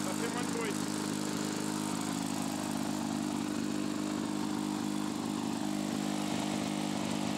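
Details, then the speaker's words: Lawn-Boy two-stroke mower after patching crankcase holes and the holed muffler runs at a fast, raspy, even beat, far louder than normal; repaired muffler still leaking exhaust, runs not very well, mixture adjustment difficult. "ça fait du bruit quand même hein la vache ça ma rien cassé la vache le bruit ça fait"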